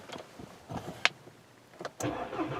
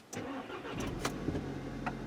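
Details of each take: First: Intermittent extended crank on a 2013 Volkswagen GTI 2.0T GDI turbo, first start after sitting: starter churns about three seconds before it catches and idles, then runs fine. No codes stored; fuel pressure bleed-down suspected, not confirmed. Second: 2013 VW GTI 2.0L turbo GDI, checked for an intermittent extended first crank with no codes stored: brief crank, then it catches almost at once into a steady idle; rail pressure reads 40, matching the specified 40.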